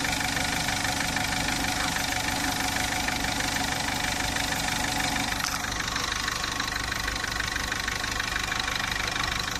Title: weird engine sound